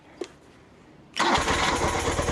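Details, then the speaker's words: 1976 BMW R90S 900cc boxer twin, stone cold, carbs freshly cleaned: starter catches and it fires first try, settling into an even, steady idle with no stumble; healthy cold start. "well whoever worked on that bike did a great job because it's stone cold it's fired right up on the first"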